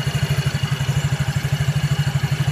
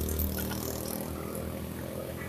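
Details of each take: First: Yamaha Mio J scooter after repair of a slipping one-way starter clutch, reassembled so it turns only one way: starter cranks the engine with a quick even rhythm, then it catches and runs; starter drive now engaging properly. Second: Yamaha Mio J scooter, electric starter pressed: steady electric whir with no compression pulses and the engine not turning at all; starter motor spins free as the one-way starter clutch slips (nge-LOS) and fails to engage, so the engine won't start.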